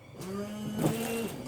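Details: Windscreen washers previously inoperative, tested after repair with battery reconnected: short steady electric hum with a faint whirr as fluid sprays; washer pump runs smoothly and sprays properly.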